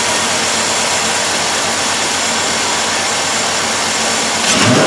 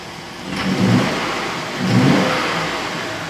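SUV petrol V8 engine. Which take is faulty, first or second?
second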